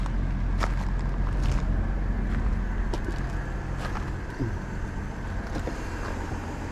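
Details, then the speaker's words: GMC Envoy SLT petrol engine idling smoothly with a steady low rumble, no knocks, ticks or rattles and no smoke; sounds healthy, though the owner suspects a bad sensor. "move that back up doesn't smoke no knocks no rattles"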